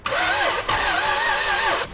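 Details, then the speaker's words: IS300 with 2JZ, first start attempt after an oil fill, with fuel and a charging battery: labored, uneven slow cranking that drags and never catches. The owner wonders if it is seized; the bell housing dust cover was found sucked into the flywheel, binding. "I'm really not sure what's happening, you guys. Gonna have to do some diagnosing and then let you guys know what I find. Is it seized? It almost sounds like it."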